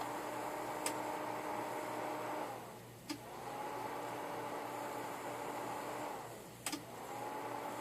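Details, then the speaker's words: Transceiver cooling fan on top of the radio. A soft, even hum drops out briefly and then resumes; the fan is cycling and running normally. "so this may seem like a strange place to start a video looking at the top of a radio but what I want to point out is listen to that sound that would be the fan"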